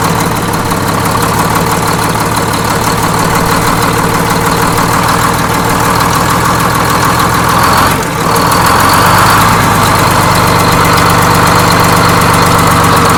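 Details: Detroit Diesel 6-71N two-stroke in a bus, after a fresh in-frame rebuild, checking fuel jumpers for leaks: loud, busy idle with an even rapid beat and blower whine, steady; sounds like a healthy idle.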